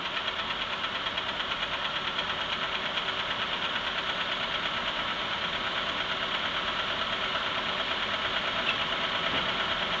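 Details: Engine at steady idle with a sharp, even knock about three times a second riding on top of the engine note; engine knock.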